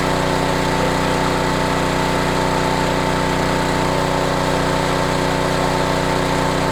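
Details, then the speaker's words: Homelite HGCA3000 3500 W generator after new carburetor and head gasket, under about 1,500 W heater load at a steady 124 V; steady, even buzzing note at constant speed with no surging or misfire; healthy running under load. "low heat full heat no problem but it's going to trip out at the GFI on the flug"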